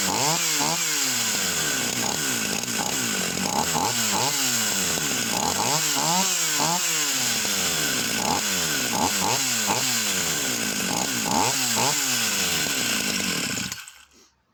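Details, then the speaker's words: Vintage Husqvarna 44 chainsaw, formerly seized, freshly un-seized, carb needles being adjusted. Revs surge and drop in repeated bursts then die; cuts out and backfires when throttle released, floods when high needle touched. Cause unconfirmed. "The minute I take my finger off, it will cut out and it will start to backfill."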